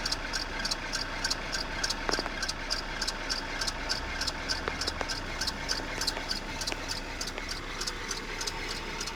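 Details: F4R engine at idle: light, fairly even ticking roughly a hundred a minute over a steady idle; source not pinned down, could be valvetrain or injectors.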